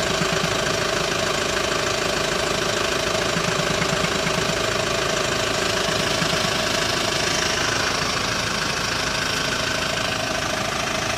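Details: Hyundai ix35 diesel, cold engine idling during warm-up: rapid, sharp, irregular knocking about three taps per second over diesel clatter, disappearing once warm; dealer technicians cannot find the cause.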